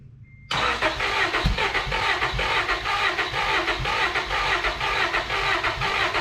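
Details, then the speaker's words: Old Honda Accord, new fuel tank and pump and a swapped corroded part: steady starter cranking, no firing; cranks but won't start, owner suspects clogged injectors. "Come on! Just my luck. Can't be as simple as a fuel pump and a new tank. There's something else going on."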